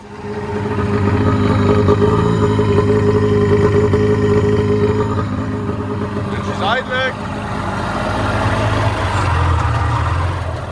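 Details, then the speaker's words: Sea-Doo XP with a Rotax 657 two-stroke, unused for 15 years, running after petrol was sprayed into the carbs: the note wavers and dips and won't rev out fully; rough running, carburettor and fuel-system problem suspected. "it's not running the cleanest but I guess we'll just have to clean the fuel system instead of plugs"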